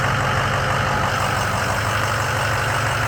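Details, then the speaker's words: Ford 6.0 Powerstroke diesel truck after a fuel leak was fixed; low-pressure oil was verified, and several cranks bled air from the fuel system. Steady, even diesel clatter with no misses; ICP about 900 psi: a normal idle. "there you go she's running took a few times cranking it just to uh probably get the air out of the fuel system but now she's cranked up and she's running"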